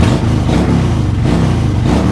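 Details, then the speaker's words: 2000 Suzuki Intruder 1400 warmed up, both cylinders firing, no fuel pump working: clean firing but revs swell and sag unevenly on throttle as one carb bowl runs dry at higher revs; no misfire, has compression. "Now what ends up happening is, without that fuel pump, one of the bowls goes dry the more you rev it. But you can tell there's no misfire."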